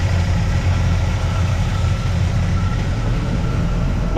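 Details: Squarebody truck V8, just after repairing a broken header tube exhaust leak with ball-and-socket header flanges: deep, steady idle rumble with no puffing or ticking from the exhaust. Normal idle, leak fixed.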